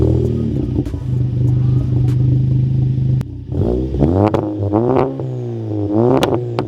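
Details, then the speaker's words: 2017 VW GTI S, TPC20 ball-bearing turbo with Garrett internals and performance cold-side housing, catless downpipe, custom 3-inch catback: steady idle, then quick blips rising and falling cleanly, no rattle or hiccup; normal, quick turbo spool. "this thing it makes some nice spoolie notes spoolie noises i will go ahead and say that it does spool up quite nicely and it just sounds really good"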